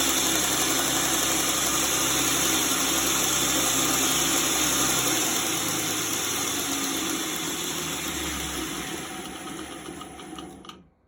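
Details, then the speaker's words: 2x72 belt grinder with speed control, running: even steady belt hiss and motor whir with no knocks or rubbing, easing down smoothly at the end; healthy. "what i've got on this one is a speed control so we can turn it just a bit you can see it all running"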